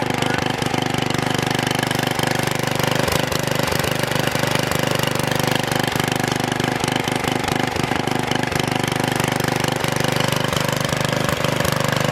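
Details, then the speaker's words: Troy-Bilt Super Bronco tiller, bought locked up, possibly stuck reels, now repaired with exhaust warm: steady, even thumping of the small single-cylinder engine holding constant speed without misses; normal running. "so you guys have it the troy-bilt super Bronco is up and running"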